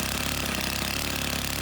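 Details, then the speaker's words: Stihl FS90 trimmer at idle while the L (low) carburetor screw is turned clockwise; the fast, buzzy two-stroke idle rises and runs steady, slightly high. Idle speed raised by the low-speed screw adjustment. "you need to do this with your equipment running at an idle that will increase the rpms and you can hear the increase"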